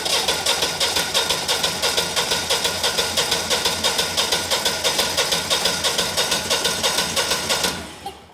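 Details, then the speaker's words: Generac 20kW standby generator, GTH-999 999cc high-compression propane engine, compression test on first cylinder reading about 210–215 PSI: even starter cranking about three beats per second, every stroke matching; strong, even compression. "That is pretty high. I would say about 210 maybe 215 PSI. So, this is a high compression engine and they can get away with that cuz it runs on propane."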